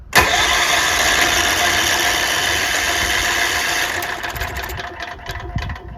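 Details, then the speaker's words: Tecumseh HH60 6 hp horizontal-shaft tiller engine with electric start, starting spray used: fast, even starter whir with no firing or compression beat; it cranks but won't start. The owner suspects the piston isn't moving and the engine is dead. "yeah I mean it's it's not drawing any fuel in there it's not going to combust you know it's pointless because the Piston's not moving"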